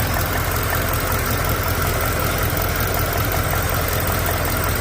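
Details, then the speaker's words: 5.0 Coyote V8 at idle: a steady low rumble with a faint, light tick, the same tick the owner hears at drive-thrus. Cause unconfirmed; Liqui Moly is mentioned. "You hear a slight little tick, but if you guys remember my short video, go down to my videos if you guys haven't seen it, put on my shorts, and then look for something that says Coyote 5.0 tick."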